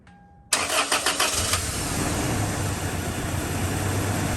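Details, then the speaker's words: 2003 Toyota Tacoma 2.4L 2RZ-FE four-cylinder after swapping the number 1 and 4 coil packs: starts after a brief crank into an uneven lumpy idle; the misfire moved to P0301, so the coil pack appears bad. "it's still obviously running rough but let's see if we pop a number one cylinder misfire so look what we got we got a P0301 which is a number one cylinder misfire it appears this coil pack is bad"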